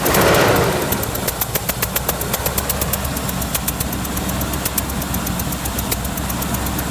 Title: Land Rover Discovery Engine knocking